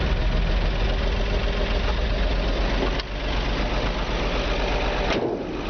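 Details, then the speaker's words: 1951 Chevy 3100 with a 235 six (originally a 216), started with the original foot pedal starter after pumping the gas. Low, steady rumble with an even, slow pulse and no knocking or misses; healthy idle after starting. "This is really a better engine though. It runs very well."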